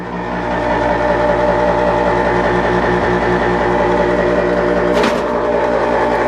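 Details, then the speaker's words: Concord furnace inducer motor running: loud steady drone with a rough rattling edge and no speed change; far too noisy, a bad bearing is suspected. "okay as you can see that is the motor that's making way too much noise it's probably a bad bearing in there or something"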